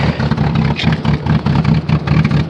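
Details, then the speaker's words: Rough 0°F cold start that has trouble catching: lumpy, uneven rapping pulses about five a second over a heavy low rumble, compared to a rotary, as the frozen engine runs rough and misfires. "oh you poor car oh [Music] hey so sorry it does not want to let go take that sounds terrible sounds like a rotary rap rap rap rapping rotary"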